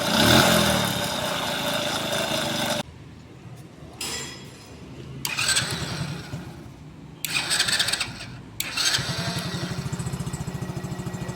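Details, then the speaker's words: Kasinski motorcycle engine sputters then revs in short blips over a rough, rattly knock; on teardown a worn, knocking connecting rod was found, plus worn crank bearings with a damaged ball race. "uma das causas do barulho aí era biela batendo"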